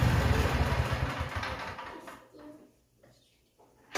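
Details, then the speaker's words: Cub Cadet mower with a 24hp Kohler twin, run just after an oil, filter and spark plug change: even thumping for a couple of seconds, then a smooth wind-down at shutoff; no knocks or misfires. "All right, guys, we're going to fire it up, make sure we don't blow the bottom end out of it, and see how it runs."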